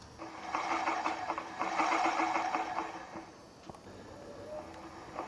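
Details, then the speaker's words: DR RapidFire Log Splitter PRO-XL flywheel spun by hand: a quick irregular clicking, about three per second, that fades as it slows. Owner unsure whether this is normal. "I've noticed an odd sort of noise coming here from from this thing I don't know if this is normal or what but when they spin you you'll hear it"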